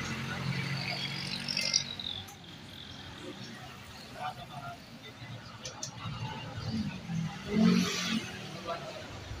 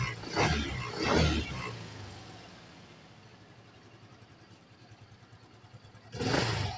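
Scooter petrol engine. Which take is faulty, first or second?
second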